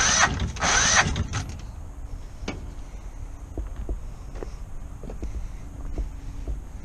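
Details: Kohler 725cc V-twin surface-drive mud motor on a Pro Drive X Series boat with a thrown cylinder 1 connecting rod (2012) and a makeshift filed key. A loud rev, then sparse, uneven pops over a weak idle: it fires on only one cylinder.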